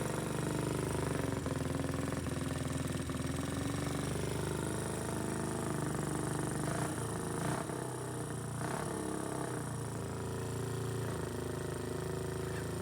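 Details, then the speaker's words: 1979 Kawasaki motorcycle after carburetor service, still leaking: engine lumps unevenly at idle, stumbling beat; owner feels it runs on only one cylinder, not confirmed. "faire plus j'ai l'impression qu'à ton que sur un seul cylindre et en actionnant ici"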